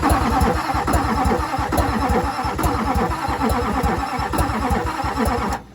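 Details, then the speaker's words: 2001 LB7 Duramax diesel, not running: steady fast cranking with irregular pops out of the intake, never catching; cranks but won't start, cause uncertain, broken camshaft doubted since it still pulls air. "so as you've heard whenever this thing's cranking over it sounds like it's popping out of the intake"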